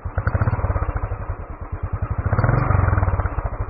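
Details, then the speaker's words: Royal Enfield Classic 350, about 7400 km, warm long-stroke single with stainless steel exhaust pipe giving the beat: slow even deep thump-thump idle, steady pulses; healthy, nothing irregular. "So if this pipe was made up of anything else other than pure stainless steel, it would not have given this kind of sound or this beat."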